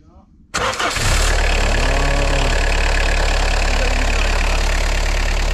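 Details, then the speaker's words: Cold Peugeot/Citroën 1.9D diesel (Berlingo/Partner) after glow plug replacement; cranks briefly and catches within half a second, then settles into a steady, even idle with no stumbling; normal cold start. "tentative de démarrage il est froid"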